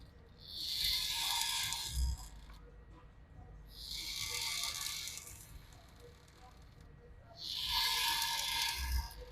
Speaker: the most annoying thing about this machine and particular is the fact that it squeaks a lot so um enjoy that sound